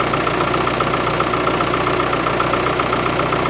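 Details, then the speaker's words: Isuzu 4BD1T diesel in a Land Rover, cold start at -4°C with glow plugs and cold-start knob pulled, single silencer: steady, even idle clatter with RPMs coming up; smokes when cold, otherwise sounds healthy. "it started a lot better and you can hear the RPMs come up but it always smokes when it's cold"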